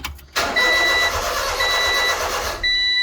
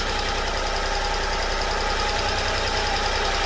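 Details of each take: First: Honda Acty after valve cover gasket and distributor O-ring replacement; starter cranks at an even pace but it never catches despite spark present; crank no-start caused by ignition timing 180 degrees out. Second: Honda Acty after valve cover gasket and distributor O-ring job, distributor turned 180 degrees and reinstalled; small petrol engine idles steadily, even beat, no misfire; normal idle after the timing fix.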